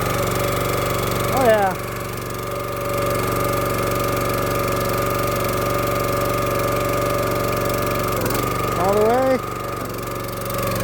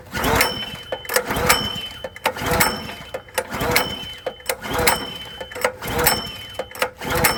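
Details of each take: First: Small-engine hydraulic log splitter, run after sitting 2–4 years, revved up while the levers and ram are cycled. Steady even drone with a short rising whine each time the ram moves: normal running under hydraulic load. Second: Log splitter engine unused for about 2–4 years, recoil pulled about once a second: turns over but never fires; dry carburetor starved of fuel.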